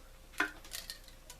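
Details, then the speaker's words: Fishing reel with the drag tightened: sharp, irregular clicks and pops as the drag holds tight and then pops loose instead of paying out smoothly; the drag is sticky and its washers need work, but it works and adjusts. "drag is sticky on it though it wants to hold real tight and then pop loose so um it needs a little work on the drag washers but the drag does work and it can be adjusted"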